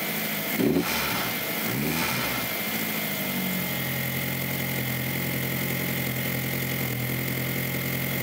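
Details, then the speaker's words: 2002 VW Jetta 1.8T after Kaiser diverter valve replacement (previously rough, loud, low power, stalling, EPC light): a short flare, then a steady, smooth idle with backfiring from the straight-pipe exhaust. It sounds much better; stalling was later fixed by a crank sensor. "Here, it sounds a lot better, except for the backfiring from my straight pipe exhaust. Sounds like it should run."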